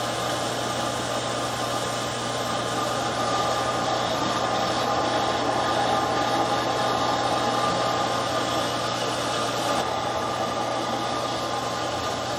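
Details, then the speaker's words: Camp outdoor water pump in boat house drawing from lake line, cistern line throttled to keep prime, building pressure; steady electric hum, constant low drone and splashing hiss as water comes through; normal pump running. "So I'm trying to pump now from the lake line, but throttling this cistern line to keep the pump primed. So there, just picked it up."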